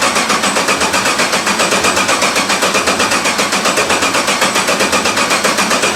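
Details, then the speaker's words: 1991 Porsche 944 S2 swapped to a Chevy 6.0 LS L77 V8, first start in over a year, fuel pump unplugged: steady even cranking slightly over one beat per second with whirring starter and no firing, priming oil pressure. "i have fuel pump unplugged right now so i'm just going to crank it to get some oil pressure up then i'll plug the fuel pump in"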